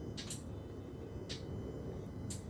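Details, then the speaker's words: Jaguar AJ30 V6 VVT solenoid driven by aftermarket ECU slow-toggle test, engine a bit cold: crisp ticks about once a second over a low hum; solenoid switching cleanly, normal VVT solenoid clicking. "Can you hear that? Tick tock. Tick tock. So that's good. So that's you can actually hear it working."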